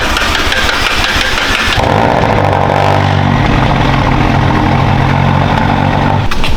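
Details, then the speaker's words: McLaren cold start in the morning: loud, rapid clacking settling into steady idle with some ticking; suspected bad cam phaser or phasers, possibly from low oil, not confirmed. "if your McLaren is making a loud clacking noise when you first started up nine times out of 10 you have a bad cam phaser or phasers"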